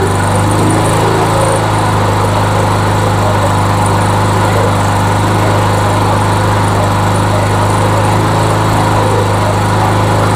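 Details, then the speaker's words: MTD Yard Machines mower found in the trash, after new carburetor and gas tank; primed, first run after deeper inspection and head gasket work: steady, even low drone from the small single with no misses or surging, running well. "oh yeah it's running well it's actually running well let's give it a minute"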